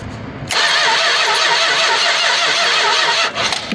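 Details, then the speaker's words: 1967 Chrysler Newport, sat for years in a barn or garage: steady starter churn about three seconds, decent compression, never fires; crank no start, spark tester shows no spark, points suspected. "Oh yeah, she turns over just fine. Um, and it sounds like she's got decent compression cuz she's not spinning real easy."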